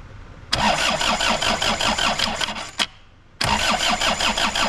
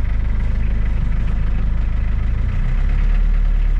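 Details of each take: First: Suzuki Samurai with Isuzu diesel, first start, lift pump heard running, possible air in lines, battery weakening: long bursts of slow uneven cranking about three turns per second, pause, more cranking, never fires; extended cranking, no start. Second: Suzuki Samurai with Isuzu diesel, cold start after sitting five or six hours on a cool night, six or seven seconds of glow plugs: deep regular thump a bit over two beats a second, smoothing and rising slightly, oil light goes out; normal cold idle.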